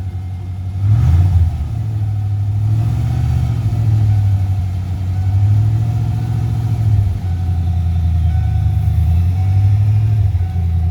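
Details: 1994 Ford F150 OBS just started after replacing both fuel tanks and priming the fuel system; picks up cleanly through several throttle blips, then settles back smoothly with no stumble or miss.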